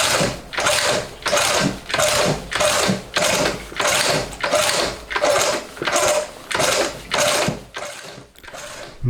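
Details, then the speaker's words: Homemade four-cylinder CD125four engine (Honda Monkey converted, ver1.1), first start test after assembly: slow steady cranking pulses with no combustion at all; ignition timing erratic, firing at random points; owner suspects faulty CDI or other ignition cause; cranks but won't start. "全く燃焼が起きてる気配がないですね。正直これじゃダメですね。はい、一度は車体に乗せたんですが、全くかかる様子がないですね。"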